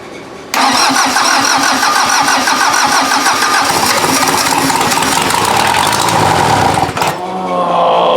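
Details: VW diesel engine swapped into an off-road Mazda, first start: it catches abruptly and clatters unevenly for about six seconds, stumbling and dipping before picking up, and struggles to keep running. The injection pump still needs tweaking; a head gasket is suspected because of smoke.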